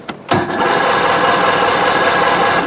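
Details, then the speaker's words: Outboard motor, cooled with running water to mimic a cold start on a hot day: the starter whirrs for about 2.5 s but the engine never fires. It is a no-start crank before the fast idle and push-in choke are used. "okay so you can hear it right there it's not starting"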